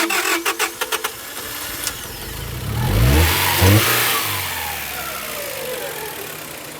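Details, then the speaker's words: 1999 Honda Prelude, 113k miles, dies after about 30 minutes idling warm and won't restart, suspected flooded rich, distributor being adjusted; engine catches with uneven pulses, surges then sags and stumbles near dying: rough running and stalling. "and this is the exact symptom where it's one duck will die it's a little different because when it when it's totally flooded"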